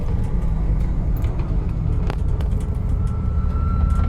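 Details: 2001 Jeep TJ running loud, with a thin, steady whine coming in partway through over a heavy low rumble. The whine seems to start randomly and is correlated to RPM; source not identified.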